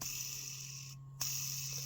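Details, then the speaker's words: Motor removed from an old Craftsman Commercial 1/2" Adjusta-Torque corded impact wrench (4 amp) and spun by hand gives a dry, raspy hiss; bearing is dry, can be regreased past its metal shields. "rolls but you can hear it's pretty dry so I just usually uh if you're not replacing the bearing you can get a lot more life out of it"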